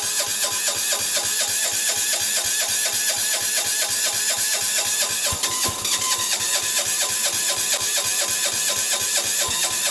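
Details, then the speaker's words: Sears Suburban tractor 6 hp diesel in blizzard cold, block warmed with a propane torch: slow, even cranking about two beats a second with a bright clatter, no catch; cold hard start. "there we go all this going not quite yet sounds like it's going but it's not"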